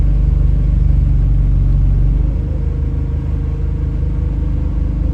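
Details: Chaserider 497 (YX67 UYA), Alexander Dennis Enviro 200 E20D diesel bus, felt sluggish: a deep, steady horn-like drone under the engine drops in pitch as revs fall, following an earlier whistle. Owner suspects the gearbox, as it was much louder towards the front.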